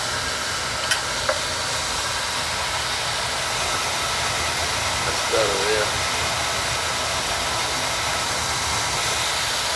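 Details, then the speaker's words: Oil boiler burner after service for blowing black soot: steady, even roar and hiss with no pulsing, puffing or rumble; fires cleanly, while the second boiler still has an air problem. "now see how this one's running smooth yeah the other one is gonna it's got a problem something screwed up with the air"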